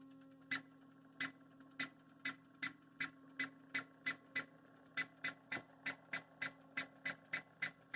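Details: Broadway Limited BLI UP 4-12-2 hybrid model locomotive, sound and smoke-box switch off: sharp bird-like chirps over a faint hum, rising from about one to two per second with speed, plus constant background clicking even when stationary; owner unsure whether decoder or mechanical.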